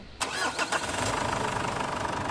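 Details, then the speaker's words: Ford Everest diesel after fuel filter replacement and re-priming the filter pump to purge air: short crank catches at once, one-click start, settling into a steady even idle. "mga boss nang ini-start ko itong makina one click na siya"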